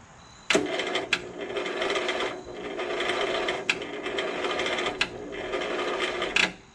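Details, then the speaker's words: Lawn tractor on a dead battery, fresh gas and oil: starter whirs in short, sagging bursts that slow and stall between clicks; battery too weak to crank, jumper pack needed. "It's just not strong enough. I'm gonna put the battery pack onto it."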